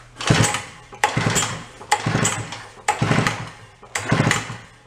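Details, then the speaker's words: 1961 Centaur 49cc folding suitcase scooter two-stroke, stored 40–50 years, pull-started with no choke and a little throttle: five quick whirring pulls about a second apart, none fire. Cranks but does not start. "All right, we're going to go with no choke. Let's give it a little throttle."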